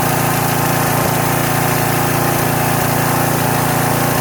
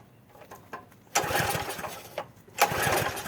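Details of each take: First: Troy-Bilt pressure washer's small single-cylinder engine on its first start after about 4–4.5 years sitting, with only gas added. It chugs at a steady fast beat, even and strong, with only an occasional faint miss. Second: Troy-Bilt pressure washer small engine, first start after about 4 years sitting, only fresh gas added: pull-cord rustle, then two short sputtering bursts that catch briefly and die. Hard starting because the choke had been knocked off.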